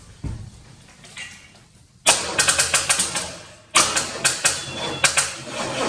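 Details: 1985 Corvette C4 that sat about two and a half years in underground storage: quick bursts of starter cranking with uneven chattering and no catch, spark confirmed present; engine turns over but never fires, cranking with no start.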